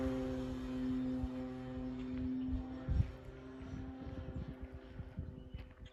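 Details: FMS Pitts RC plane in flight after fixing a loose battery tray that had caused a rattle: steady, even motor drone holding one pitch, fading as it flies off; no rattle or buzz, normal running.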